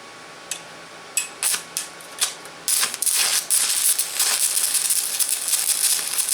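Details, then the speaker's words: VEVOR MMA 200 DC stick welder with the stinger on negative: a few sharp crackles, then a continuous harsh sputtering hiss with irregular pops. Spitting arc from electrode polarity; it sounds smoother with the stinger on positive. "Okay, that was the polarity that makes that spitting sound. That's with the stinger on the negative. I think it welds a little smoother with the stinger on the positive, but or at least it sounds smoother."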